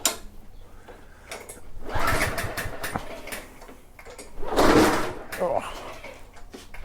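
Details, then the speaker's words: Yard Machine with a 139cc OHV Cub Cadet engine, with oil full, tangy-smelling fuel, choke on and compression present. Several recoil pulls each give a short chuff without firing. A valve problem and possibly a carb problem are suspected. "see what i mean i think we might be dealing with a valve issue in addition to potentially a carb problem"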